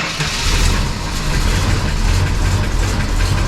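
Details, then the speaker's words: 1971 Dodge Charger R/T 440 V8, cold start at about 9°F after sitting four months, possibly weak battery, finicky carburetor: rough, heavy cold idle with a faint light lifter tick over the rumble, heavy cold oil still building pressure. "on the gas right oh it's got now little lifter tick to it too all right here we go hopefully i'll build some oil pressure too that that oil is very heavy it's a little chilly out"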